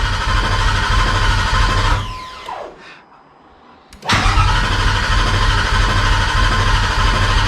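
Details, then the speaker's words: Cobra Daytona replica, new Aluminator engine first start attempt, clutch in: steady rapid cranking that never catches; fuel pump not working, no fuel pressure, so no start. "okay so now i got to figure out why the fuel pump's not working because we are definitely not getting any fuel pressure"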